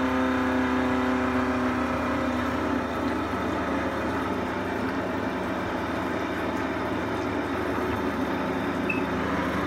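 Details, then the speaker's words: Giannoni heat exchanger in a running gas boiler during servicing: steady jet-like roar with a fluttering rumble from a partially blocked coil. The boiler still runs fine but will eventually start banging and crashing. Power flushing the system is advised. "this noise is a block coil and the boiler actually run fine with a block coil eventually just starts a banging crash heavily"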